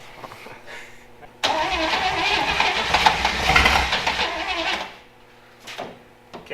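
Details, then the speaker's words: Willys Jeep Wagon sat 10+ years, first start after timing advanced and gas sprayed: engine catches at once, roars unevenly about three seconds, then settles; runs, fuel system still to be worked on. "yeah yeah well it runs all right we'll uh we'll work on a fuel system"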